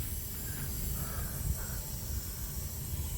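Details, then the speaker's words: 1991 Mercedes-Benz 300E (W124) with 340K miles, leak-down test: faint steady air hiss under a low rumble as the cylinder holds pressure; air escaping shows cylinder 1 is leaking, needing a rebuild or engine swap. "Okay, but yeah, that tells me that cylinder 1 is leaking, and I'm going to have a bad time this summer rebuilding this or swapping it out."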